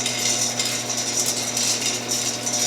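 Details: W.T. Storey modified Axeman Anderson 130M coal stoker, auger drive motor with gearing: continuous fine, high-pitched ticking rattle, even throughout, from auger drive gearing rather than motor; gear ratcheting noise.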